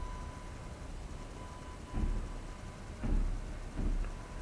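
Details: AFI VS-3SG 3-axis handheld gimbal, low-cost, recorded at night with no surrounding sounds: thin, steady high whine with a few handling thumps; gimbal motors noisy enough to be heard in recorded video.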